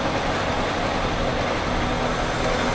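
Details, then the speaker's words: 1999 Honda Accord, just under 200,000 miles, began running badly after a cold snap, codes P1399, P0303, P0301, broken intake hose noticed: uneven, stumbling idle with dull irregular beat; misfire, cause not yet pinned down. "oh this hose is broke right here but that shouldn't make it idle bad look at the Idol's terrible"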